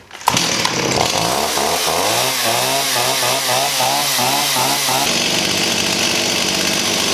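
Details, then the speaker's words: 1985 Stihl 028 AV Super Electronic Quickstop chainsaw, sitting about 10-15 years, after setting low-speed carb screw out 1¼ turns (was ½) and raising idle: fires, warbles, then holds crisp steady high rev; now runs cleanly. "nice that's better"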